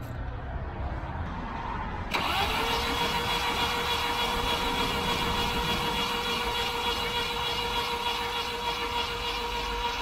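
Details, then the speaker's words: 1989 Volvo 740 wagon, B230 redblock, non-runner with head gasket done in 2019 and coolant in cylinders: fast, light, even cranking, about three beats a second, never catches; engine turns too easily, low compression suspected. "sounds like it hasn't got enough compression"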